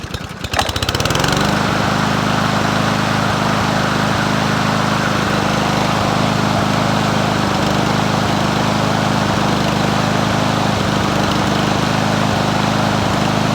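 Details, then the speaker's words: Free Troy-Bilt TB110 push mower, 140cc 550ex engine, carburetor previously replaced: starts and holds fast idle but beat is uneven and stumbles; rough running, owner suspects inconsistent spark or coil issue, unconfirmed. "I just want to see if we're kind of losing spark in a way or if it's consistent spark we might have a coil issue"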